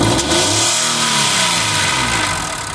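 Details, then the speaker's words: 2006 Mazda 6 V6 with code P0300 multiple misfire: revs sag and recover sluggishly with a strained, hissy tone and a noisy motor; very low, bouncing vacuum suggests an exhaust restricted by a plugged catalytic converter. "exhaust is closed. One of the converters, multiple converters. This thing's got many converters on it."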